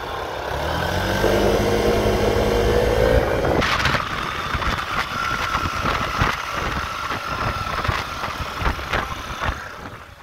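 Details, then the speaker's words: Yamaha XMAX 125 scooter: a high whistle rising with road speed over the engine; engine or transmission was initially considered as the source. "on constate qu'il y a un sifflement pas possible qui s'accentue avec la vitesse"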